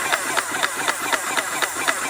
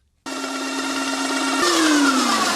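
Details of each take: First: Airless paint sprayer running on thinned paint with the trigger held continuously (releasing it tends to cause blocking): even pump pulses about four a second over a steady hiss, no stalling or stutter; sounding much healthier, normal running. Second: Airless Max Blast paint sprayer priming with unthinned paint before reaching the gun: steady pulsing motor whine whose pitch sags sharply under load then recovers; pump labouring on thick paint near stall.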